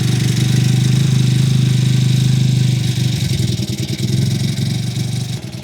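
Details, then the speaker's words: Cheap 49cc four-stroke pocket bike, cold on choke: small single revs with a fast, uneven burble and steady drone, then it settles and wavers at idle. "All right, that's choke right there."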